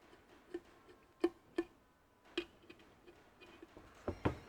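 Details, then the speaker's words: Ferguson TE20 hydraulic pump on the bench during assembly, turned by hand with old pistons: a few sharp, uneven clicks as the valve opens normally. "you can hear that you can hear that valve opening"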